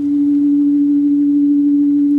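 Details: 1964 Leslie speaker from a Conn organ, driven by a modified Squier Champ amp fed by an audio frequency generator: a pure, steady tone around 300 Hz plays clean with no buzz or rattle, with no distortion at this frequency.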